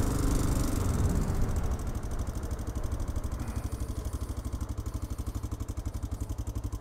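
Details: Honda Dominator 650 single with a broken engine at idle: loud, coarse thumping about three beats a second with clatter on top, far rougher than normal, described as a tractor mixed with a sewing machine.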